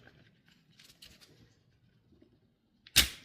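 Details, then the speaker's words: 7-year-old SmarterTools generator, neglected and stored outside, recoil starter removed and rewound by hand: faint winding rustle then a sharp snap as tension releases; broken main spring end slipping off its catch. "And right right about at two and a half winds, it there's a click that releases the tension."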